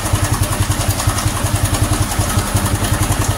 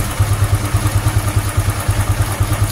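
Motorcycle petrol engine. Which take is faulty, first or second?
first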